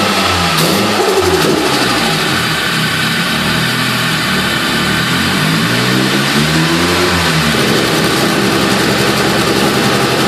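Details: Nissan PS13 with SR20DET running incorrectly when accelerating; engine pulls up through the revs but sounds uneven and stumbling with a ragged, choppy note under load; misfire under acceleration, cause still being investigated.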